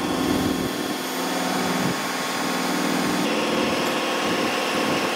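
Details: Large hydraulic gear motor run as a pump, clockwise, under pressure on the test bench, not broken in: loud steady constant-pitch whine with no knocking or grinding, without the odd noise the customer reported; normal gear pump whine.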